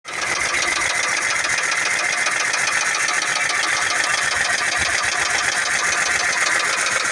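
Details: 2004 Ford Mustang base V6: a fast, light ticking at about three to four beats a second over a thin idle; owner asks whether it is rod knock, not confirmed.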